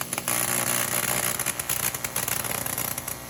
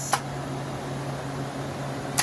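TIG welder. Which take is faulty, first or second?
first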